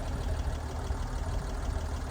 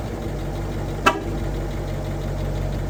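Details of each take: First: Restored classic car started on a small battery and left to warm up: a low, steady rumble with an even beat and no knocks or misses, a smooth, healthy warm-up idle. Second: Ford F150 at idle: faint metallic jingly buzz riding on the steady engine note, a rattle somewhere in the exhaust; source not found, checked parts were tight.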